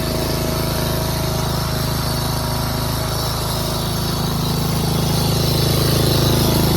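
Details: Craftsman 13.5HP 30-inch rear-engine riding mower after valve lash adjustment and bypassed safety switches/solenoid: steady single-cylinder thump with buzzing vibration from a loose metal clip rattling despite tape on it.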